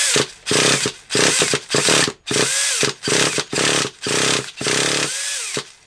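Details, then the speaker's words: Traxxas Revo 3.3 nitro RC car indoors; repeated short pull-start bursts, each a rising whir that dies away; fuel can be smelled and it tries to burn but won't keep running, and it is thought to need more heat. "I think we are gonna need a bit of a heat on it I can smell the fuel you know I can smell it trying to burn so he's trying to burn"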